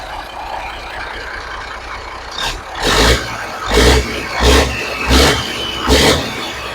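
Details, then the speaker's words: 1983 Kenworth cab-over, Cat A-model diesel, after setting pump timing and overhead; mechanical fuel pump still not working, running on electric fuel pump; runs steadily between throttle blips that rise and fall cleanly, no knock or miss; owner says it purrs. "Now it's still, the mechanical fuel pump is not working. I'm still running an electric fuel pump. But man, listen to it purr like a kitten."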